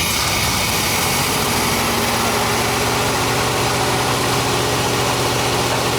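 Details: 1987 Chevy square body small block V8, warm idle after fuel system cleaner treatment: a sharp, rapid puffing tick rides on each firing pulse; owner suspects a leaking exhaust manifold or donut gasket on this side.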